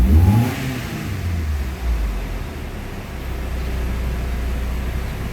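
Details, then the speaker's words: Mitsubishi Galant Shark automatic, before throttle body cleaning, aircon on: rev dips about 500 rpm in drive and reverse, then idles low and slightly uneven with shaking; dirty throttle body suspected. "Bumagsak ng 500 neutral umangat drive 500 may kasama nginig. Ayan oh. Bagsak ng 500 may kasamang inig neutral natin yan neutral walang nginig reverse walang nginig kaunti lang"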